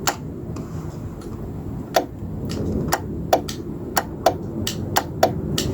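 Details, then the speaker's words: 1995 Georgie Boy Swinger 32ft diesel motorhome electric step switched on: sharp uneven relay clicks with no motor running and the step not moving; owner suspects seized motor or step hinges. "So there's some relay clicking, which is a good sign, because it means it's probably just the motor seized, or the step hinges seized, whatever it is."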